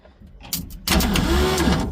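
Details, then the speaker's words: 1966 Ford Econoline being revived after sitting, battery jumped: starter whirrs and turns the engine over for about a second but never catches; cranks, no start, before hot-wiring the coil. "Oh. We have crank. We have crank there. Good news. Good news. We have crank."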